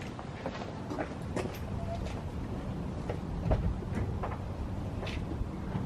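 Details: Engine idling on a new exhaust after a rusty muffler was thickly coated with Muffler Weld sealant; raspy, uneven puffing with sharp ticks as the exhaust leaks, the sealant repair having failed.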